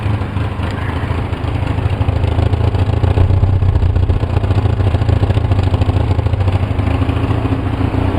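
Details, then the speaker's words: 2004 Polaris Sportsman 700 twin on about 10–15% choke with Seafoam in the fuel, dying if the choke is eased; low, uneven idle spitting and sputtering with thick exhaust. "it's spitting and sputtering. I'll tell you, the exhaust in there is just really thick."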